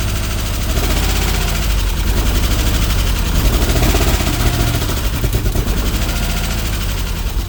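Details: 1991 Subaru EJ22 on first start after rebuild: uneven stumbling idle with irregular lumpy beat and missed pulses; misfire, owner suspects timing belt misaligned, likely off by one tooth.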